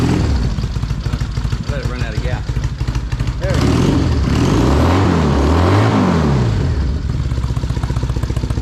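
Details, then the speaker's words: Triumph motorcycle, started for fun: healthy loping idle with a quick rev blip, not sounding too bad. The owner had said it wasn't running well and suspects bad gas after changing tanks. "doesn't sound too bad today i gotta take it for a ride"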